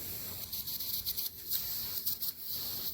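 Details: 60-unit three-phase R410 column air conditioner pressurized to about 250 psi (16–17.5 bar) for leak search: steady airy hiss with short surges from a crushed rectangular-flattened coil tube; refrigerant leak.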